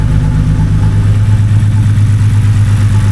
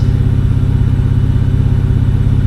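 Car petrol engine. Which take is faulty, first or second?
first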